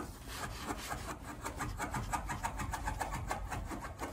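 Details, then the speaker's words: 2008 Honda Jazz, lifted front wheel rocked by hand: quick dull knocks, about four a second, with visible play at the top of the suspension, from a worn top strut mount whose inner part has enlarged. "if i shake that you can just hear it knocking there and can't really use my two hands right now but there is play on the wheel"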